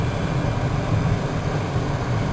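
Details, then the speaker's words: Heater blower motor after a simple rewire repair, reinstalled in the dash: steady, even low hum with no rattle, scrape or wobble; normal blower motor running. "now it's back up to normal but I'll turn it on you can hear it obviously you can't probably see it spinning so fast but it's spinning in there right in there"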